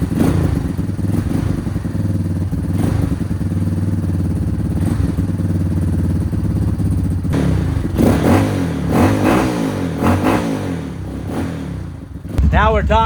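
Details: Yamaha Warrior single-cylinder quad after fuel system work, choked, spark plug wire refitted: steady even low thumping with no misses, knocks or ticks; starts and runs cleanly, normal running.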